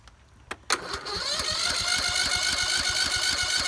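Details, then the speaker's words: Husqvarna YT 21 HP lawn tractor, cranked on a jumper with a compression gauge fitted: the starter whines up with a steady, even chug on each compression stroke; about 80 psi, compression judged good enough to start. "£80 pressure. That's not bad. That'll start. Compression's good."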